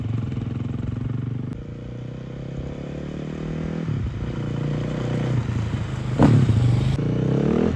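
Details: Large dirt bike that sat for years, after revival: single-cylinder thump pulls cleanly through part and full throttle with crisp pickup; engine healthy, running amazing, though rear brakes are weak.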